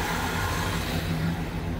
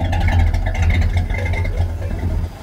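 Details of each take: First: 1976 Chevy Chevelle Malibu V8 with newly installed Edelbrock intake manifold and carburetor: even, deep rumble holding steady but a touch fast; idle could go lower, mixture not quite right yet, air idle screws to be adjusted. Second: 1976 Chevy Chevelle Malibu V8 with newly installed Edelbrock intake manifold and Edelbrock four-barrel carburetor, timing basically unchanged, warming up: deep, steady idle with slight lope and a blip; runs even, four barrels working, air mixture still to be tuned.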